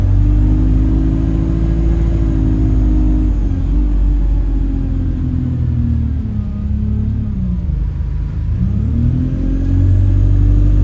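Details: Chaserider 497 (YX67 UYA), Alexander Dennis Enviro 200 E20D diesel bus, felt sluggish: steady whistle tones above the engine drone dip as the bus slows and rise with speed. Owner suspects the gearbox, as it was much louder towards the front. Later turns horn-like.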